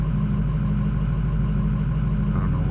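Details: Ford 6.0 diesel cold idle, warming up: deep lumpy drone rising and falling about twice a second; high ICP pressure, no-start when hot; faulty injection pressure regulator valve, fixed by an OEM IPR.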